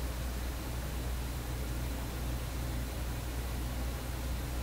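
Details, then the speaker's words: Vacuum tube PA amplifier, suspected hum source disconnected: low steady buzzing hum under hiss, unchanged and barely affected by the volume control; mains hum remains from an undetermined source. "The hum that wouldn't quit. This one's not really in the power, it's not affected by the volume."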